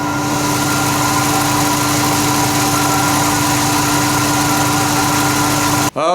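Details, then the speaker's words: 1992 Corvette C4 with 5.7 L (350) LT1 V8, about 46,000–48,000 miles, first start after intake manifold gasket replacement and throttle body cleaning, run briefly to check injectors: steady even idle, smooth drone, no ticking, hissing or misfire; healthy. "just run it for a few seconds check over those injectors like i said good so far looks good"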